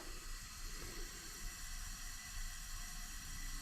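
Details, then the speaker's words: Polaris Ranger 900 XP non-runner, engine off during a leak-down check: steady hiss of air escaping through the exhaust, nothing at the intake or dipstick; a bent exhaust valve is suspected, unconfirmed until the head comes off. "can't feel anything on the intake but I can hear a significant amount of air leaking out through the exhaust right now and then you can feel quite a draft coming out back here so I'm assuming we have a bent exhaust valve"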